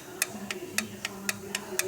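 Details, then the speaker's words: Ford Ranger 2.8 engine at idle: sharp, even ticking about 3.5 times a second from excessive valve clearance, loose valves tapping; the fix was readjusting the valves with shims. "ó esse barulho que acontece a fica folgada ela fica batendo né que esses carros aqui eles usam uma uma regulagem de válvula né"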